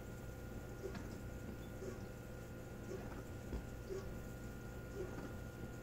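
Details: Maytag dishwasher during the wash cycle: a low steady hum with a soft tick about once a second; abnormal dishwasher noise.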